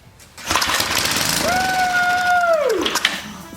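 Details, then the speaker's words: Old small engine primed and fitted with a roughly 100-year-old Model T spark plug: short burst of firing with a rising then falling tone over about a second before dying on the primed charge; the antique plug still sparks. "it worked that plug actually works that spark plug's got to be 100 years old"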